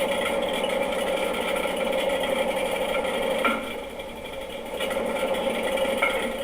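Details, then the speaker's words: Washing machine during spin cycle: steady hum with rapid, irregular popcorn-like clicking, caused by a screw, probably from a clothing pocket, trapped between tub and drum. "o problema é esse aqui que vocês estão vendo na foto e isso mesmo era um parafuso que provavelmente caiu do bolso de alguma roupa"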